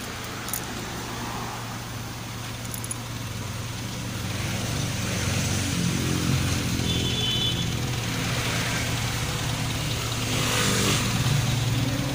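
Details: Honda City i-DSI with white smoke idles at about three and a half pulses a second, stumbling unevenly with an occasional knock; misfiring at idle.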